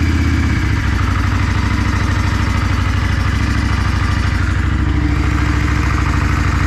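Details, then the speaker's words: 1994 Yamaha Virago XV535 V-twin after replacing the carburetor diaphragms; it previously would not exceed 55 mph; loud, low, even putter with a steady lumpy beat and no misses or pops, crisp throttle response; normal running. "yeah uh first of all this bike sounds like it's running way better throttle response is crisp"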